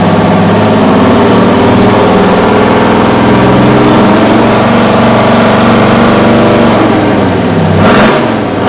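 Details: Kenworth/RFW 6x6 garbage truck with two-stroke 6-53 Detroit diesel, no muffler, sitting at least 4 years: loud, crisp unsilenced bark with steady, even firing on restart; healthy engine running well.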